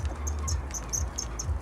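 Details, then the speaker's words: Nissan Almera N16: short, high chirping squeaks about four or five times a second over low engine rumble, from the exhaust heat shield rubbing against the muffler at the rear. "Там слышно скрип, такой скрежет небольшой. Тут трется. Термозащиту там это. Термозащита, глушитель трется."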